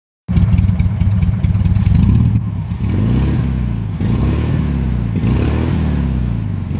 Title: 1972 1300 TP VW Beetle Misfire